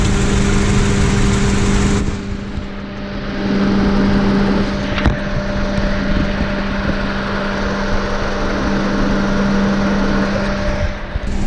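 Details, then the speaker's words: Saturn Vue 2.2 L, hot, coil pack suspected: lumpy, uneven idle with irregular stumble and puffing beat, smoke from the exhaust as unburnt fuel passes out of a weak cylinder; engine misfire. "So yeah, it's got a pretty gnarly misfire. It is smoking out of the exhaust pipe because one of the cylinders are not firing very well, so all the fuel is just going right out the back."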